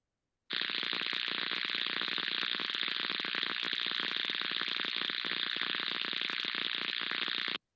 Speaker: muchos habréis eh reconocido como el zumbido que se escucha cuando se pasa por debajo de una línea de alta tensión